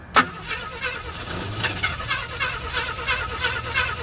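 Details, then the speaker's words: 1977 AMC Pacer parts car in freezing weather: uneven starter cranking, about three turns a second, engine catching in rough bursts on fuel poured into the carburetor. "yeah it sounded pretty big hey a parts car that runs"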